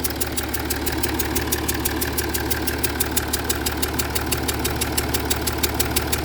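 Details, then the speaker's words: Jaguar XF S 3.0 diesel idling with sharp regular chuffing ticks that change with revs, exhaust smell and smoke under bonnet and in cabin; gas felt puffing from around an injector, leaking injector seal. "Sounds like it's coming from around the side of the injector."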